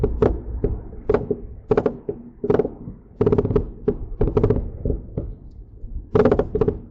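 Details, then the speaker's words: Mercedes-Benz C300 test drive after front CV axle, wheel bearing and front brake work, microphone in back seat: dull irregular clunks in clusters of two or three every half second from the rear; cause not yet found. "So, that is what I have been hearing. Um, again, I got to pull it in, take a look around, and see what is loose or what's going on in the rear. Where that noise is coming from."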